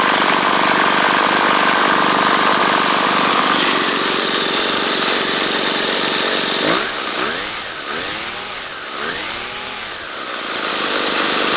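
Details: Trimmer unstarted for a couple of weeks, started on choke with little gas before winterizing: high, buzzy two-stroke drone, then revs up and drops back three times cleanly with no stumbling; engine runs healthy.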